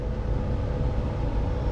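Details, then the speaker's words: Ford Fusion blower motor, removed and reconnected, run on low fan speed: low steady fan drone with a faint uneven ticking inside; the blower motor itself is failing and needs replacing. "because i don't want to um turn it on high and i hope you can hear the thicken sound and that sound is going to be real annoying to you guys"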